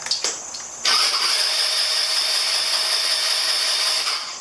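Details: 2009 Genuine Buddy 125 scooter, non-running, cranked on the starter with a possibly weak battery: high even starter whir spinning about three seconds with steady compression pulses but never catching; won't start, carburettor later taken apart.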